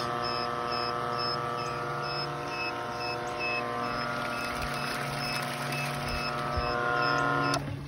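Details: Pool pump being converted to solar power, test-run from a battery before the solar panel is connected; even motor hum, steady electrical whine and faint regular ticking, no labouring, then clean shutoff: normal pump run.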